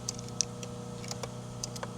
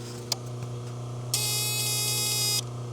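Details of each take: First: VL Calais with 304/308 engine, right indicator flasher ticking lightly and regularly over a steady low hum, no buzz between ticks; flasher working normally. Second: Holden VL Calais 304/308 V8 at idle with indicator on: harsh high even buzz for about a second from under the dash, started after engine removal and refit; old aftermarket alarm unit suspected.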